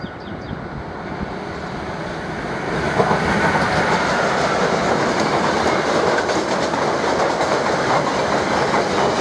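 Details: Class 185 200 electric locomotive with freight train rolling past: loud steady clatter of about three beats a second over the rail noise, from many wheel flat spots.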